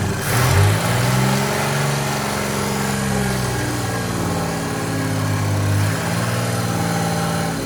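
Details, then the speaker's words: Chevy 4.3L V6 swapped into a Willys CJ5 Jeep, after setting timing to about 4° before top dead center; steady, even smooth idle with no stumble or miss, runs much better, normal idle. "which I hope that's going to be fine it sure sounds a lot better runs better"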